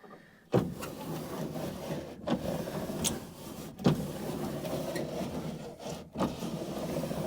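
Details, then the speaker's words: 1980 Dodge W150 plow truck passenger door, used junkyard window glass from a 1989 W250 just installed: soft rubbing and light clicks, full stroke, no binding or grinding; manual window regulator works fine. "that might be a win. Full window action. I like that. Whew. Well, that appears to be successful."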